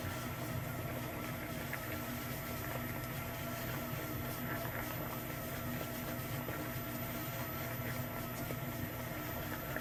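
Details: KYS Pro Baker 7+ spiral mixer at its maximum listed batch, 4.8 kg pumpkin dough, bowl at 60°F, around 250 RPM: quiet even motor hum with soft swish of dry flour against the bowl bottom; running smoothly, not struggling.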